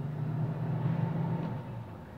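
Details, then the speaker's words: Electrolux DF46 frost-free fridge, over 10 years old: steady low hum with faint whir of the evaporator microfan, switched by the oxidized double door switch with poor contact that causes beeping and a warm lower compartment. "Esse interruptor ele é responsável pela para desligar e ligar a lâmpada e acionar o microventilador do evaporador. Gente, veja a zoada dele aí."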